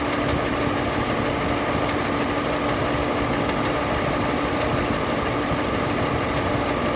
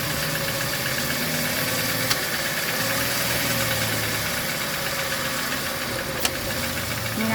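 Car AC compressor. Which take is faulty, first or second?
second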